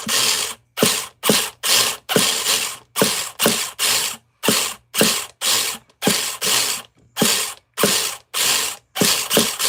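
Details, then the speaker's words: Nitro RC car starter attempts: short ratcheting bursts about two per second while the engine never catches, as the starter's one-way bearing slips; cleaning the one-way bearing is considered. "All right, let's try it. Slippy ass oneways."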